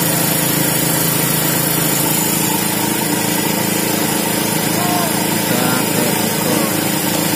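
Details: Small Remotec mini chainsaw, two-stroke, lacking power; steady high-pitched buzz without clean revving, with the only fault found being the carburetor setting, which is being adjusted; carburetor out of adjustment.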